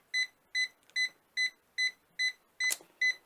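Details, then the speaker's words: Ultimate Speed 12000 jump starter on a completely flat battery, drained for a day by a 60 W lamp that is still connected: red light on, a steady high beep about 2.5 times a second, and it refuses to start. It works once the lamp is removed. "je peux mettre en route ça ne marche pas il bip voyant rouge est allumé donc là vous pourrez pas démarrer la voiture"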